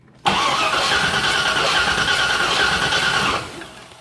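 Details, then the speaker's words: 1980 GMC C35 truck, off road since 2007, Edelbrock carburetor: starter cranks about three seconds with uneven beats but never fires; spark confirmed, carburetor and fuel system suspected next. "now that we're turning over with the key i guess since this thing is such an electrical nightmare let's pull a plug and see if we're getting spark"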